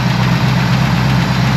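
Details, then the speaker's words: Pontiac Grand LeMans V8 after its first road drive: loud, slightly fast idle with an uneven lope; owner judges the timing off and the carburetor in need of tuning, alternator belt flapping. "Definitely not happy, it's a bit lumpy, but that's the furthest she's driven in, I don't actually know."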